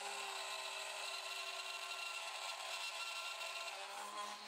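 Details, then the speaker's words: Rough, gritty high-pitched scraping milling cut on aluminum with a CNC mill, making a gib lock knob for a Sieg X2.7; no finishing pass was done, air cooling proved insufficient and chips welded to the carbide cutter. "doesn't sound good, does it? Probably should have done a finishing pass."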